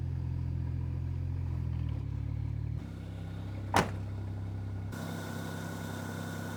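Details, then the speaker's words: BMW 335i E92 N54 with rebuilt engine after fire damage; earlier misfire and uneven running caused by unplugged vacuum line to exhaust manifold flap, now reconnected; steady even idle, one brief click midway, no misses; normal idle. "runs super good so as we can see the car runs perfect"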